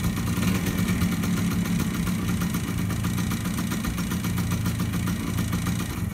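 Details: Yamaha DT100 two-stroke vintage enduro on fresh gas, new oil and a new fuel line after sitting. Fast, even ring-ding-ding idle holding steady while it warms up; running cleanly, normal two-stroke idle.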